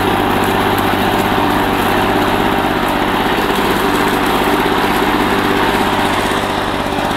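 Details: 1984 Lawn Boy two-cycle push mower, found roadside, after a rebuild of its clogged carburetor and clogged exhaust: engine running steady and even at high speed, crisp buzzy exhaust with no misses or knocks.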